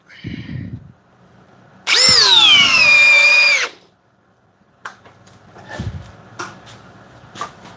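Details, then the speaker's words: Corded Metabo HPT drill driving into a new pressure-treated 6x6. Whine sags as the bit bogs in the wood, then cuts out within two seconds with the trigger still held: overload cutout. "my finger is still on the trigger it cut itself out"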